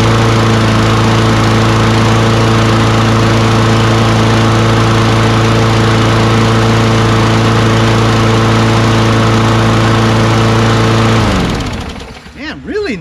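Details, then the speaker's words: Free Craftsman push mower with auto-choke Quantum single-cylinder engine: runs at a high, steady buzz with even firing, then shuts off. Engine speed is too high; the governed rpm needs adjusting. "what else did you guys notice when i first started it up that's right i thought the rpm was a little high right"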